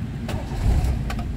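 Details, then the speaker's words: 1995 Toyota Starlet SEG 1.3, starting: short crank, catches immediately and settles into a smooth low rumble, healthy quick start; tachometer not working. "Starter langsung terjereng nyala."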